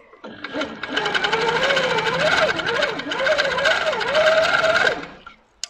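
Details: Handi Quilter sit-down longarm with industrial needle and twin (double) thread, top tension just released; even rapid stitching patter about three to four stitches a second, steady motor hum, no snagging or thumping, normal.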